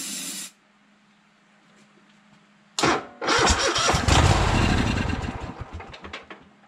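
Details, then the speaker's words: Troy-Bilt Horse lawn tractor on starting fluid, no gas reaching the fuel filter: short burst, pause, then cranking that barely catches and fades; suspected failed fuel pump, later replaced. "yeah it don't look like it's trying to pump any fuel well I guess we gotta change the fuel pump"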